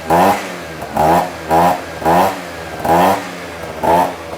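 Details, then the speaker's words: Scooter with a big bore kit on a 49cc engine, exhaust refitted after finding the loose silencer that jingled and caused the rattling: crisp repeated throttle blips rising and falling cleanly with no rattle, normal healthy revving. "so let's put the exhaust back on and see if it sounds any different all right this should sound a lot better"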